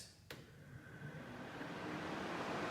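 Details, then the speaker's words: Replica kit car on a 1986 Fiero GT chassis, after rewiring fans and fitting a new high-performance radiator: click then an even airy whir as two engine fans and two radiator fans run normally. "okay I switch here that movement controls the engine fans have been turned on if everything is correct it should fire up the two engine fans then the two radiator fans"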